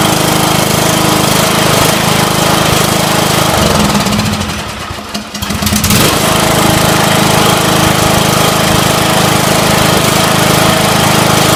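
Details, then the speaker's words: Briggs & Stratton 17 hp Intek twin on a Scotts John Deere 1742 mower, first start after head gasket replacement and valve lash adjustment: steady, even chatter with a brief sag and recovery, no knocking or popping; running healthy. "Okay, looks like we're good to go."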